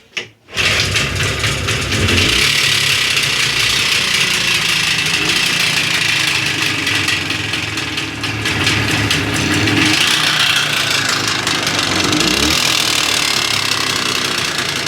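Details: Jawa 634 two-stroke motorcycle engine started and idling with a loud, harsh knocking rattle over the engine note; only the gearbox was repaired before (bent selector, failed gears), the rest untouched; cause unknown, strong engine knock.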